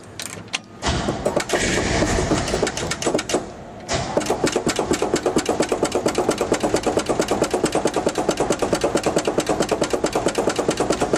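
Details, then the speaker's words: 1970 GMC truck, cold start with pedal pumping after new exhaust (2.5 in tubing to mufflers, 2 1/4 in out, 3.5 in chrome tips): cranks, catches at about four seconds, fast even exhaust pulse settling into steady lumpy idle with blips; normal cold start. "We're gonna let her down and do a cold start with exhaust. And the tip look pretty good on there. So we get her start, see what it sounds like. So this is a cold start, pedal pumping with exhaust."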